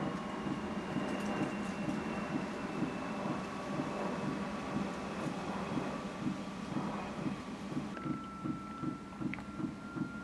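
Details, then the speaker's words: Airstream Rangeline van's Timberline heater fuel pump (runs on unleaded), heard after fitting a noise-reduction enclosure: steady soft ticking about two to three a second over the heater blower hum, substantially quieter than before but still very noticeable; normal pump ticking. "got in the van fired up the heater and you can definitely still hear the ticking but it does seem to be substantially quieter than it was"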